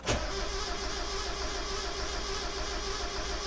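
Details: Engine with a new battery; strong even cranking rhythm for several seconds that never catches, though it sounds healthy and builds good oil pressure. Cranks but no start.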